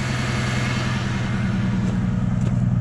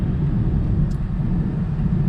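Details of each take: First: Pickup with a single coil pack: idle carries an uneven beat with a regular stumble, about three pulses a second; misfire from a suspected bad coil pack. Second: V6 Mustang on a road test after repair: steady low engine rumble with road noise, smooth with no stumble; no check engine lights, repair successful.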